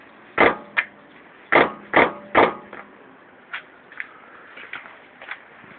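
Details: Toyota Corolla Verso: uneven dull clunks, a few close together then fading, no engine noise behind; brake pad knock.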